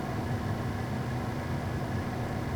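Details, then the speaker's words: 2005 Jeep Liberty after replacing the blower motor resistor (before, only high speed worked): a smooth, even whoosh of air on blower setting one, no squeal or rattle; the repair fixed it. "let's go back to blower one and you can see we got some air movement there which is great so we're good that fixed our problem"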